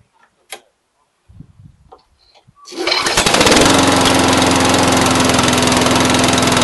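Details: Brand-new Briggs & Stratton 450 lawn mower, under 2 hours' use: fires and settles into a loud, uneven, lumpy pulsing run. Black smoke, sooty plug, throttle has no effect; smoother when tipped back. Rough idle, cause unknown.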